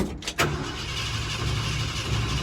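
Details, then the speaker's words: Ford F100 (Bumpside) sitting about three months, cranked after pumping gas pedal, tank possibly near empty: click then steady low churning crank with no firing stroke; crank no start, likely fuel starvation, owner plans to prime with gas. "And I'm guessing we're gonna have to prime it with some gas. We'll give it a couple more cranks and then I'm gonna be done, because I don't want to kill this battery."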